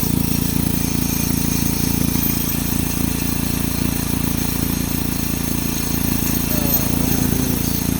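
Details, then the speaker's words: 2007 Saturn Sky with lean fuel code, while hunting a suspected vacuum leak: steady idle with light metallic rattle two or three a second; all three catalytic converter flange bolts missing nuts and washers; exhaust leak rattle. "it wasn't stalling it wasn't revving up it just just wasn't doing anything but then I started hearing this weird rattling noise"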